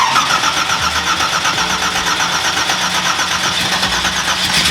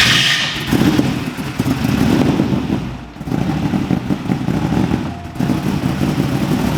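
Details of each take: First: Nissan GTR R35 V8 1,500bhp drag car, first start in about 6-7 years after the fuel pump is primed: a dense, loud, uneven V8 roar that fires but runs lumpy. It is flooded, as if clearing excess fuel. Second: 1,500 BHP V8 Nissan GT-R R35 drag car, first start in about 6-7 years, a bit flooded: after a few uneven catches it settles into a steady, slightly lumpy idle, no knocks or ticks, healthy.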